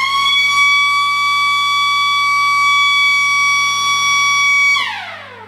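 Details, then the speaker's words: Gardner marine engine alarm siren, the less expensive type without a flashing light, tested on a power pack: piercing steady high siren for about five seconds, then winding down; must be loud enough to hear from the engine room or deck. "you need to be light enough so that you can hear it even if you're down below in the engine room or if you're out in deck somewhere it needs to be loud"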